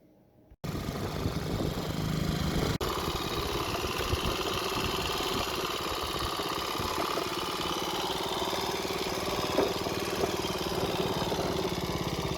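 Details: Restored Honda C102 50cc Cub single idling: catches quickly and settles into an even, fast putter with a light rocker/valve tick, owner thinks valve clearances need fine-tuning: normal idle.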